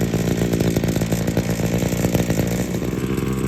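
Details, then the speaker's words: Small two-stroke engine just started from cold, idling on half choke to warm up: fast, even buzzing idle with a steady beat, no stumbles or surging; normal two-stroke idle. "I have to say I do actually enjoy the sound of two stroke idling"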